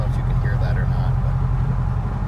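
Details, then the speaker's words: 2018 GMC Sierra 5.3 V8 with aftermarket K&N exhaust, heard in the cab in four-cylinder AFM mode under light throttle: deep, steady, hollow droning boom, worst around 1600–2000 rpm, especially under load or decel. "sounds like a helicopter that's rather constipated and begging to be put into V8."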